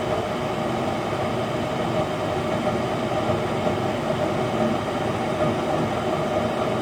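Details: Goodman furnace after replacing bad inducer motor and gasket: even, steady low roar with faint constant hum, no squeal or rattle; furnace firing and running normally.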